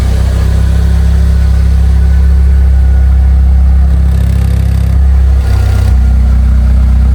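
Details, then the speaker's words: Fiat 500 after new head gasket and exhaust work: deep, steady idle with slightly throaty note from the rear and a brief throttle blip, quiet at the front with no leaks, no ticking or puffing; normal idle. "sounds mad, doesn't it? That sounds really nice. Really, really nice. I'm impressed with this car."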